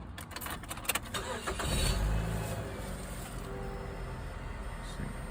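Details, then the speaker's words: 2005 Mazda3 2.3 four-cylinder just after valve cover gasket replacement: a quick crank, a brief flare, then an even idle with no misfire or tapping. No engine lights, much smoother than before; spilled oil smokes from the tailpipe. "No engine lights. A whole lot smoother and a whole lot better."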